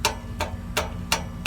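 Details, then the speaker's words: Sharp metallic taps with a tinny rattle as the exhaust pipe is struck near the manifold joint on a 1998 Chevy Silverado 1500 with a P0420 catalyst efficiency code; the loose, leaking exhaust flange rattles, also audible when shifting and accelerating. "there's my exhaust leak now what that does is that impacts the pipe and if there's any looseness in there or slop as you want to call it it will uh it will make a noise it'll rattle"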